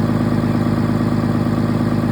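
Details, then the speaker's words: Commercial box truck during pre-sale 49-point inspection, after about 5 minutes of idling: warm idle holds a steady, even beat with no knocking, misfire or rattle until shut off; healthy engine. "And that's what a healthy engine sounds like."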